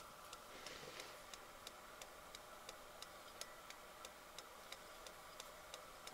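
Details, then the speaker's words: AIWA TP-724 vintage Japanese portable open-reel tape recorder on 12 V bench power in play mode: sharp, even ticks about three per second over motor hum, like something hitting the flywheel; caused by something sticky on the belt, stopped after flipping it over. "sounds like there's something hitting the flywheel let me flip it over and listen again okay so that noise stopped it was just the belt"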